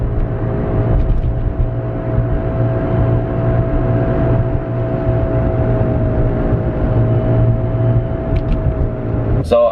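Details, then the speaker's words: Nissan 350Z driving: a steady mid-pitched whine over road rumble that rises with speed and gets very loud on the highway, from a worn rear wheel bearing, fixed by replacing the bearing. "it's the wheel bearing there's another guy who posted on YouTube of the same exact sound and he fixed it by placing the wheel bearing as well yeah it's pretty bad once once I get on the highway it's really really loud"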